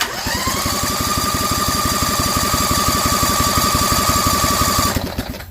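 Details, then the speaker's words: Rebuilt Vanguard 16HP with a 23HP carb on a lawn tractor dragster, cranked from a booster pack via the kill lug and push button to check fuel flow: rapid, even chugging about three strokes a second under a rising starter whine. Cranks but doesn't catch. "so right now we've got this hooked to the kill lug this should be our push button to start and we're gonna see if we see any fuel pumping through"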